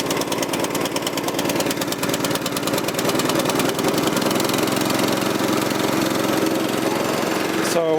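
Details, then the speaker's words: 1984 Troy-Bilt tiller with a 6.5 HP 212cc Predator engine, after a replacement spark plug (two old plugs bad): single-cylinder chugs at a steady, even beat with no misses or stumbles; running fine. "just a bad spark plug. 2 bad spark plugs. Sounds like it's running fine."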